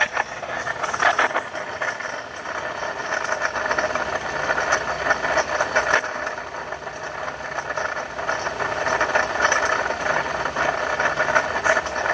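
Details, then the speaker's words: 2012 Ford F-150 with 3.7 L V6 Ti-VCT engine: a steady, rattly whirring at idle that stays constant with engine speed, from a worn water pump bearing with shaft play, before the pump was replaced. "all right that's what a bad water pump sounds like on the 2012 ford f-150"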